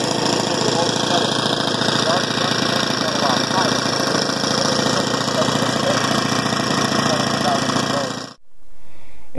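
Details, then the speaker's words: Saito four-stroke single-cylinder engine on drone generator APU, very little load, throttle set down a little to avoid overspeeding: steady even thumping at moderate throttle, then cuts out; normal running. "once again because there's very little load the engines gonna have a tendency to run a little bit faster so I've set the throttle down a little bit"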